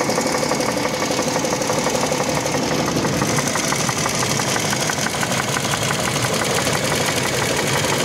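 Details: 2007 Toyota Land Cruiser Prado 120 with 1GR-FE engine, steady knock about three per second from under the hood at idle, not heard inside the cabin, fades as rpm rises while driving; cause unclear.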